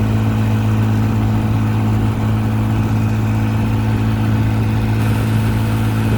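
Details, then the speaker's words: 1955 Johnson QD 16 10 hp outboard, after new condensers, carburetor kit, water pump and seals, pushing a 14 ft Blue Finn deep V at 13–14 mph: steady, even drone at constant speed over the wind, no misses, knocks or rattles. Running smoothly. "Get out of the wind, I can hear the RPMs pick up a little bit."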